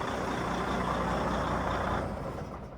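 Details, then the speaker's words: Diesel truck air system, faulty governor not cutting out, air dryer suspected bad too: pressure over 160 psi versus usual 135-140, steady loud hiss over low engine rumble as air tank relief valve vents overpressure. "all right guys so as you guys can tell it is way over the threshold which usually they're at 140 goes way over 160 and you can tell it has a purge and the relief valve on the air tanks is releasing the air now because it didn't tell it what to kick off"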